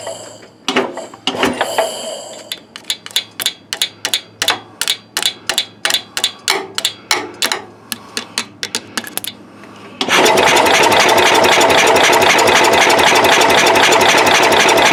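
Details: Cub Cadet 108, cold start attempt: steady sharp cranking about four beats a second for several seconds, never runs; no or weak spark, owner suspects worn ignition points.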